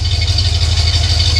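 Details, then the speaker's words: Cadillac Coupe DeVille V8 (tagged 472/500) at slow idle after a new Walker Quiet Flow muffler was fitted: a deep, even, low-pitched burble with no drone or rattle, much quieter than the old muffler. "And you probably can't tell on the camera, but it is a lot quieter than the other muffler. Um, it's just it's just tremendous."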